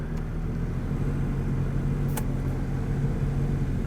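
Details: C3 Chevrolet Corvette, long-sitting car jump-started at auction, AC switched on; steady, even low engine hum with a faint fan whir and no knocks or misses. Normal idle.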